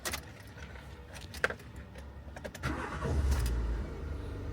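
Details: DV6 diesel engine, using first key after key matching: keys rattle, short crank, engine catches cleanly and settles into steady idle; normal start.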